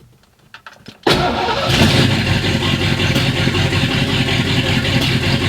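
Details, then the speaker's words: V8 at its first start on a new Holley EFI system, checking for fuel leaks: brief clicks, then it fires right up and settles into a steady, even, lumpy idle with no misses; normal cold start. "right. So, that's a good start. That's a good start. fired right up."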